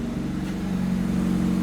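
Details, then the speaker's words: 1982 Firebird V8 started after sitting 25 years, warming up: steady fast idle with a firm low hum, first at about 1800 rpm, slowly dropping to around 1250–1300; high idle, owner suspects a sticking idle air control valve. "But um the idle is slowly slowly coming down. And I've actually had a few of these 25s before. And usually when the idle is so high, it's the um idle air control valve."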